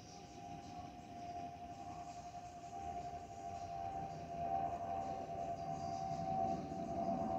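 A clear, steady whistle holds one pitch over the cabin rumble; that's the ordinary vent whistle these Airbus wings make.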